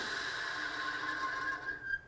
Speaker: Right at the end there, that little whiny and grindy sound. That's a bad bearing.